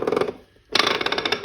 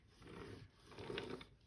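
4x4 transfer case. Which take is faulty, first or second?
first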